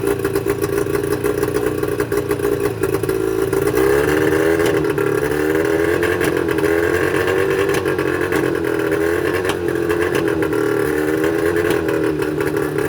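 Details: Mercury 25HP two-stroke outboard before Boyesen power reed install: idle hunts, buzzing pitch wavering up and down unevenly; rough, unstable idle blamed on the original reed valves.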